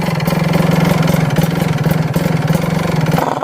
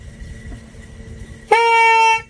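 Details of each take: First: Kawasaki Ninja two-stroke HSAS secondary air reed valve: uneven idle with noisy fluttering flap chatter and air puffing out about three beats a second, because the reed membrane is worn. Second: Ninja RR old (CBU) HSAS reed valve blown through by mouth: a good membrane gives one clear, steady trumpet-like buzz under a second, like a carb fuel membrane; it vibrates and seals properly.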